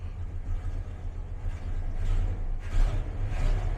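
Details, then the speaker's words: 1999 Dodge V8 pickup, bought as a non-runner, idling cold on its own just after firing right up without gas: quiet, deep, steady rumble with no stumbles or tapping; normal cold idle. "man fired right up didn't have to didn't touch the gas don't have the foot on the gas yet"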